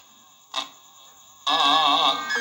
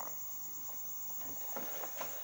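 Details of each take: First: Small radio after repair plays music clearly with brief dropouts and a burst of hiss; fault was no sound with hiss, caused by a broken, detached antenna wire, now reconnected. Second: Radio that powers on, indicator lit, power supply judged fine, gives no sound on FM: steady even hiss with faint crackles, no voice or music, from no station reception.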